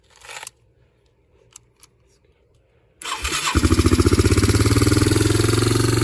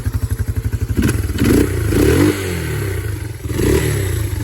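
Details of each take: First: Yamaha Moto 4 (225/250) ATV single, rebuilt from zero compression with a bent valve, started completely cold on starter fluid before valve adjustment: busy cold idle with a light tick over the firing, likely loose valve clearance. Valve tapping on cold start. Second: Yamaha Moto 4 (225/250) ATV single after bent-valve rebuild and exhaust valve clearance set to 0.006, slightly warm: even idle thumping, then clean revs rising and falling smoothly, no tapping or clicking from the top end. Normal idle and revving.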